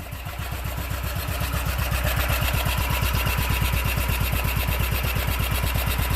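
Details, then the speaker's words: Single-cylinder engine with a reportedly brand-new cylinder head, started with choke, shroud lid off: quick, even thumping at a steady idle with no popping or spitting back through the carburetor, indicating cam timing is correct; normal healthy idle. "that's that's what it should sound like there's no backs fresh like if the cam was off or something or there'd be back spray coming out the carburetor"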